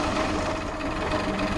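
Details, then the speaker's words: 1979 Chevrolet Caravan SS Opala 6-cylinder, first start after rebuild with new piston rings and replaced worn crankshaft/camshaft timing gears: quiet, smooth, even idle with no knocks or misses; normal idle. "ficou silenciosa demais que loucura hein a cara de alegria do menino lá Que loucura cara muito silencioso"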